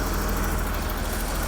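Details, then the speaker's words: BMW Alpina B10 Biturbo E34 after fuel filter job: smooth even idle with no valve-train tick, only distinctive injector clicking; sounds healthy. "Oh, it's quiet. You can't even hear the valve train anymore."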